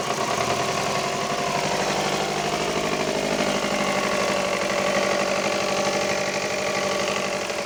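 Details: Subaru Impreza engine at idle with rough, uneven knocking about three times a second and no steady beat; a clear engine knock, cause unknown.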